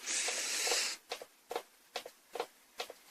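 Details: Monitor that won't show a picture: sharp double ticks about twice a second as the power supply cycles; insufficient capacitance in the power board is the usual cause, shorted parts are rare.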